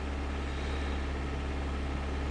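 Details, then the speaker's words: 2001 Mitsubishi Galant held above 1500 rpm (2500–3000): steady, even drone with no stumble. Its misfire, traced to a counterfeit camshaft position sensor, shows only as a stumble on initial throttle tip-in. "If we go up to 3,000 RPM, 2500 RPM, two, anywhere from, you know, anywhere above 1500, thing runs great. Look how smooth it is. Right where it should be."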